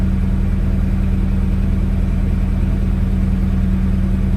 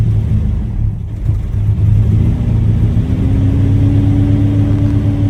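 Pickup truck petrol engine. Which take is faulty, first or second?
second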